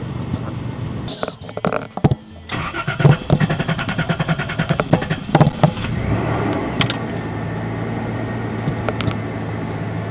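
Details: Toyota Tacoma V6 after engine swap: starter churns with steady rapid compression pulses for over three seconds before catching and idling; extended cranking, hard start, linked to heat soak.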